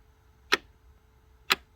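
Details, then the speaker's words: 2005 C6 Corvette, after shifter lock fix (fault was the microswitch), accessory mode: two crisp clicks a second apart as the switch is touched; shift lock solenoid releasing the safety catch properly. "kicking that solenoid out of place or kicking that solenoid to remove that safety catch"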